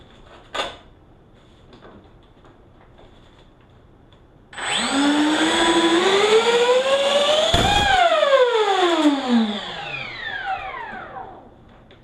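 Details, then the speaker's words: LX twin 70mm EDF F-22 RC jet during ground throttle run-up: fan whine climbs steadily, then a sharp crack and the pitch sags away; owner believes an EDF unit blew, not confirmed. "sounded like a real good reason why it never flew this that's just blue and EDF unit I believe sure did that just blew any"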